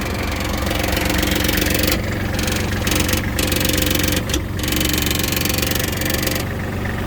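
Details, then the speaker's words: Kubota GL21 four-wheel-drive Japanese mini tractor, diesel running steadily while a loose side panel gives a light tinny rattle in bursts; padding it is the planned fix. Engine otherwise revs and holds rpm evenly. "Господи, щиток боковой у нас здесь тарабанит. Не знаю, с чем это связано, но тем не менее."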